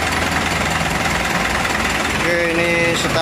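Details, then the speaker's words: Mitsubishi Canter HDL 136 refrigerated box truck diesel before repair: rough, uneven idle with fast hammering clatter about three per second; teardown found a badly broken injection pump timer with fragments in the oil pan. "enter 1 t enam Suaranya kayak kena ini Ya kemungkinan timer bospnya Coba nanti dicek lagungkar bospomnya ya"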